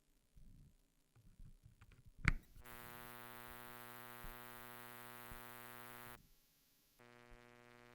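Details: Google Pixel 6 30W charger making a steady, raspy buzz while charging that rises and falls in waves. It was miked closely with a Shure SM58, and is confirmed to be the charger, not the cable or outlet.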